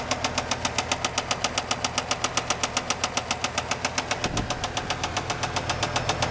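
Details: 1995 Camaro Z28 LT1 V8, bought with a knocking engine, at idle: heavy, evenly spaced deep metallic knocks about two and a half per second throughout, a badly worn connecting-rod bearing; rod knock.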